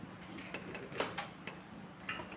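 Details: Swing door after repair: the loose closer receiver slot above the door edge was packed with thin steel plate and the nut retightened; door opens and closes with only soft light clicks, the earlier tick-tick knock from the closer gone.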